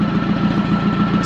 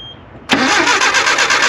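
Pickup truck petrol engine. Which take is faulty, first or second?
second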